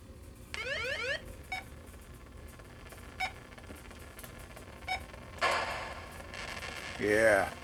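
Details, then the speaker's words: 1980 Atari Battlezone arcade board, audio section tested after fitting a 0.47 capacitor: short beeps, sweeping chirps and engine rumble come through clean and undistorted, background noise quieted; sound output now working properly. "so if i start this game let's turn it up see how that does quiets that noise right down we hear a nice engine rumble you can hear everything else"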